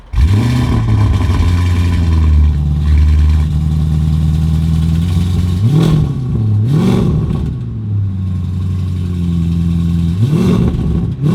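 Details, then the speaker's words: Lamborghini Urus Mansory Edition with aftermarket exhaust and Mansory quad tips: deep revs with faint metallic clatter on each blip; rattling exhaust, suspected broken baffle inside the muffler, possibly from aggressive tune and backfires. "something's rattling Muffler may be broken could be too much aggressive tunes on there too much backfires sounds like a baffle inside the muffler is broken"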